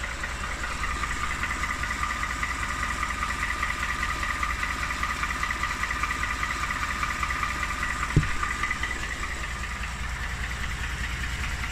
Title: Part 2 of engine knock, motor #2. This is ridiculous!